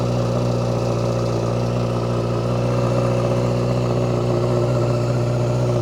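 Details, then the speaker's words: Carbureted motorcycle, cold start with no throttle or choke input: smooth steady fast idle around 2000 rpm, even low drone, no knocks or misses; normal cold high idle that drops as it warms. "you'll notice that it started out around 2000 RPM that will slowly drop as the bike warms up and removes the extra fuel it's been through the system"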